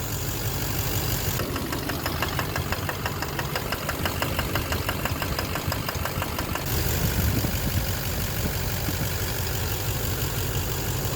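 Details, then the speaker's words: 2009 Chevrolet Duramax LMM dually, 59,945 miles, idling in Drive on the brake after injector cleaner and cetane. A sharp, even ticking knock about three a second sits over the diesel clatter, reduced from before; #5 injector suspected, diesel injector knock. "I'll put on the brake a little bit of knock I got okay Oh a little bit of a knock but did this it's very cool not nearly as bad"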